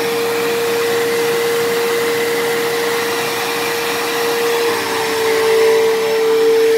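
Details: Dyson DC07 upright vacuum, long unused, running: loud steady high whine over suction rush, dropping slightly midway then returning; owner suspects dried-out bearings in motor or brush roll, motor bearings already somewhat worn and worsening.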